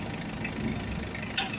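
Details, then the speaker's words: Mitsubishi Adventure diesel after a filter change: steady, even idle with a low rumble, no knocking or vibration; with the air conditioning on, idle rises by itself without adjustment, as it should. "O aircon o aircon mo. Dapat pag may aircon yan, tataas yung menor."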